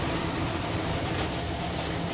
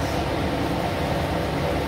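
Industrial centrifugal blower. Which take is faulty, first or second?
second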